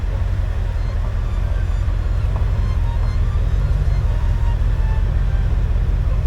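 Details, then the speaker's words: 1989 Ford F150 that was clanky and knocking the day before, as if from loose rocker arms or lifters. Now a deep, steady, even rumble with regular firing pulses and no clanking or ticking; the noise has cleared: normal running. "Well, the engine actually sounds better today. And let me explain what I mean by that. Yesterday it was sounding clanky and clunky and knockingish as though it had some loose rocker arms or some uh lifters that wasn't working. And today that noise is cleared up which is a good thing"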